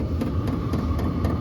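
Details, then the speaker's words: HCalory compact toolbox diesel heater on first startup, warmed up on setting H4 and now blowing hot with smoke smell: steady low combustion roar with fan hum and a quick regular pump tick about four per second, running normally. "Pump's going faster. Now it's at 22, and yeah, you can smell the smoke too. It's going hot. It's pumping really fast now."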